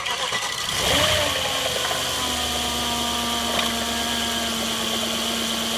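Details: 2006 Audi A6 at idle: a thin metallic rattle rides high over the engine note; the owner says the timing chain rattle has gotten worse or changed, but the cause is unconfirmed.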